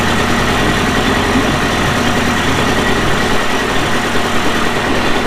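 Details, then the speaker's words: Early-1980s Mercury 350 35hp outboard, after replacing head and exhaust gaskets (water had entered cylinders from a failed exhaust gasket); even, steady low burble with fast regular beat, no misses, knocks or surging; normal healthy idle. "Alright, well, got the 35 running. Thought I'd fire it up, see if it..."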